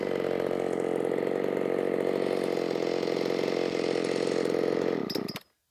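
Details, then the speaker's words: Ported Shindaiwa 757 chainsaw after timing advance, no jetting changes, cutting big wood: high, steady scream held at full revs for about five seconds, then a quick drop-off. It revs higher than before; strong high-rpm cut. "but you could hear it SPO up boy it got way up into the RPM range and it didn't seem like it was doing that previously"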